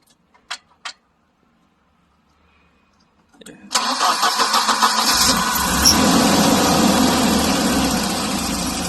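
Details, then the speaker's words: Volvo 740 after an Isuzu NPR intercooler install: catches after a short crank and settles to a rough, tractor-like idle with rattles and a light, quick ticking; cause unclear. "it still sounds like a [ __ ] tractor [ __ ] fading with rattles yeah i know like the crown has a little like tick tick tick tick tick tick tick tick tick tick"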